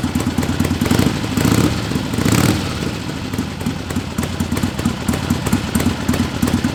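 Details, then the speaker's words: 1961 Harley-Davidson Sportster XLCH Ironhead barn find with a knockoff S&S carb fed from a squirt bottle because of a rusty tank; loose, loping V-twin idle, uneven but steady with no knocks or misses, running healthily. "barn fine 1961 sportster it runs like a top it's like a dream it's perfect"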